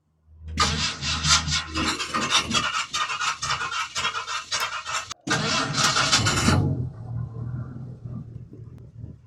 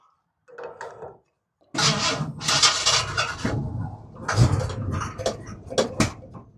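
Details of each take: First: 1964 Ford F100 engine after being out of gas, restarted on old lawnmower fuel; fires after a few quick turns, short rev, then steady, even idle with no misses; normal idle. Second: 1964 Ford F100 after old lawnmower fuel was added to the tank: starter cranks in uneven bursts and the engine fires a few ragged times without catching; it soon ran smooth, and the owner thinks it was just out of gas.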